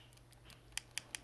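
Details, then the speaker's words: Xbox One Halo 5 controller d-pad: the down button gives several soft, dull ticks without snap, then three sharp crisp clicks from a good button for comparison. The down direction is weak and not clicky before teardown; a worn or bent contact is suspected. "see if we can get this to have a little bit more response because this bottom button is not very clicky"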